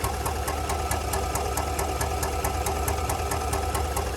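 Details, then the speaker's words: 2019 GMC Sierra 1500 5.3L V8 at idle: sharp regular ticking about two per second over a low hum; lifter tick tied to the DoD/AFM active fuel management system, lifters and camshaft need replacing. "There's a lot of other noises that can demonstrate the same blurry of a lifter tick, but this is going to be the lifter tick in this 53 L motor related with the DoD system and the AFM, the active fuel management system."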